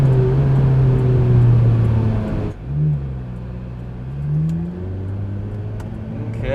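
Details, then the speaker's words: 2005 Ferrari F430 V8 with 23,400 miles, push-started after arriving with a dead battery: strong, clean pull with pitch climbing smoothly through the revs and easing off between pulls; healthy under acceleration. "oh yeah that sounds good"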